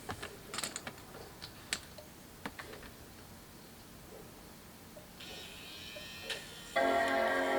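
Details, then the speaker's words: Apple MacBook Pro 17" Early 2011 (A1297, 820-2914) after liquid damage repair, Express card cable reconnected, battery disconnected: quiet clicks and ticks, then clear sustained startup chime; boots normally with screen. "now I should hear a Tron boot should hear a chime might take a minute"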